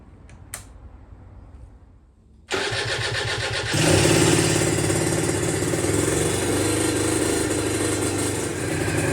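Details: Aprilia RS125 1990s two-stroke on temporary battery after coolant leak repair, with new air filter and modified airbox: fires and crackles into a crisp, even run, rising smoothly on the throttle; running sweet.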